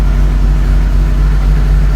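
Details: 1983 VW Rabbit GTI rebuilt engine, first fire-up after oil priming, new clutch and transmission installed: steady, even low idle with a smooth pulse about four times a second, no knocks or ticks; normal running.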